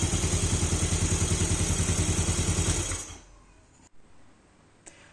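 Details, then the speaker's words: Motorcycle that was hard to start, idling normally after checks of the stator wiring and a CKP sensor replacement; idle speed reads 1200 rpm on the scanner. Steady, even single-cylinder putter for three seconds before shutting off; normal idle. "Nah, ini normal. Langsamnya kita bisa lihat di sini ya. Normal kan akan diangkaat 1200."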